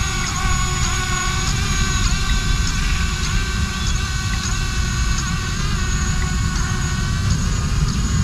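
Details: ArduCopter 6-inch race quad running pitch autotune in wind, after the second harmonic notch was set: steady motor whine with small twitches about twice a second, no buzzing shake; the resonance seen last time is gone.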